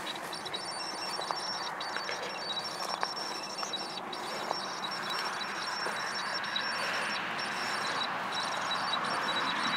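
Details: Canon 18-135mm STM lens on a Canon 650D with image stabilizer on, in video and photo mode: a steady hissy whir with faint high thin tones and irregular small ticks from the stabilizer.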